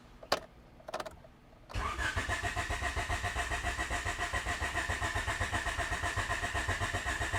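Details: Honda EF Civic with D15 engine, starter cranking about four beats a second without catching or firing; pump had run at first, but no fuel delivery now; crank, no start.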